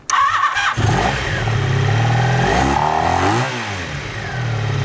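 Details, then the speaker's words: Honda Sabre V4 motorcycle with wasted-spark ignition, test start after chasing a phantom gremlin and mounting the new shock: catches quickly, steady throaty V4 beat rising and settling cleanly on a couple of blips; working like it ought to now. "That's working like it oughta now."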